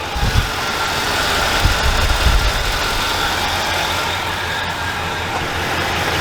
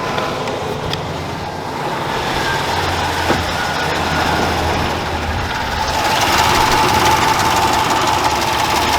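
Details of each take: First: Dodge Dakota after an engine swap, first fire-up after the timing tensioner problem was fixed: smooth, steady idle with an even low rumble and no ticking or tapping on top. Normal, healthy idle. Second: Dodge Dakota, first fire-up after an engine swap: a fairly steady light tick, about four per second, over the idle. The owner believes a collapsed lifter, RPM-dependent and worsening with each drive.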